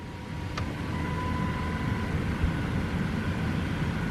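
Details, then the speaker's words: Dodge Charger HVAC blower motor after replacement, car on, fan speeds 3 and 4 with panel still off: smooth, steady fan rush with a faint constant hum, much quieter than before, no rattle or squeal, normal blower motor operation. "3. 4. Alright. That sounds like it should."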